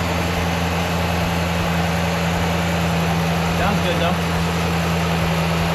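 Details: RAM truck, first start of a freshly installed replacement engine; steady low idle hum with an even beat and no knocks or ticks; runs and sounds good, though a code appeared, possibly from something left unplugged.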